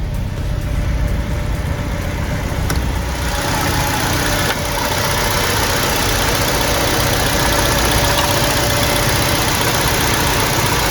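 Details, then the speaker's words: BMW E90 petrol engine with check-engine light, power loss and higher fuel consumption, idling unevenly with wavering low thrum and vibration; coils and spark plugs already swapped, cause still being investigated. "Y podéis observar un poco, ¿vale? El cableceo que tiene, la vibración."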